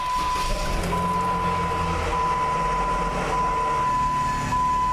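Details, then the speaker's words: 2013 Jeep Wrangler 3.6, NAG1 (722.6) automatic, four-wheel drive, in park before removal: thin, steady high-pitched whine above the idle hum; transmission pump stator stripped where it fits into the torque converter. "I'm sure you can hear that little high-pitched whining noise."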